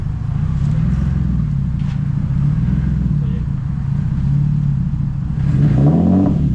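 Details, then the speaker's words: Nissan S13 with turbo VQ35 swap, new 2.5-inch oval pipe to 3-inch exhaust with V-band joint: deep, even exhaust note at idle that swells cleanly on a blip, no puffing or ticking; no leaks, V-band sealed. "Make sure there's no leaks. Yeah, sounds good. V-band is not leaking."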